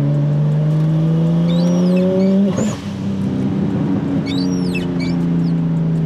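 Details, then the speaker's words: Nissan R34 Skyline RB25 (NEO) with newly fitted Audi R8 coil packs, pull in third under boost on a road test: engine note climbs then stumbles and drops mid-pull. Misfire persists; not fixed, cause unknown. "Okay, so it doesn't look like it solved the problem, guys. That's unfortunate, to say the least."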